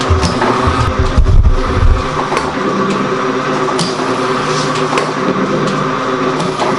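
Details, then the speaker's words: Gould & Eberhardt 24-inch heavy duty shaper (1912 patent date; owner guesses 1912–1930), newly acquired, starting up on a test run; machine runs very quiet, most noise is from the belt. Steady belt slap and hum with a regular clack about twice a second: normal running. "Alright, so now we're going to start it up. Machine runs really quiet. Most noise comes from the belt."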